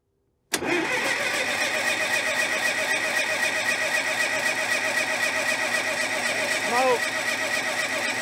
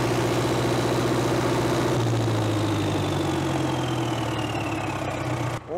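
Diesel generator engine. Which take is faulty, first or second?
first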